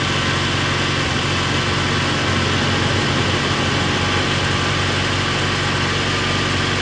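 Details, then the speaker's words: UAZ Patriot with automatic gearbox and ZMZ 409 engine, cold start at about -4 °C after sitting overnight: steady even idle with no tapping from hydraulic lifters; normal cold idle. "что девушка стучит когда я не слушаю ничего специально с микрофоном все отлично работает"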